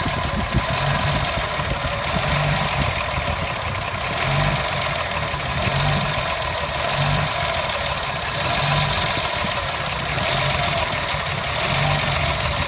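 Uneven idle with a slow lumpy surge roughly every second and a half and loose tapping over it; a rough-running engine, cause unclear.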